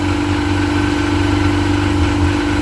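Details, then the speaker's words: Sea-Doo 951 DI two-stroke after custom rebuild, air system fed shop compressed air at a steady 80 psi, fuel pressure steady; steady, even idle around 1450 rpm with constant hum, no misses or knocks; normal idle. "all right so with compressed air at 80 psi into our fitting here we're running smooth steady we should be idling at around 1450 rpm that's perfect"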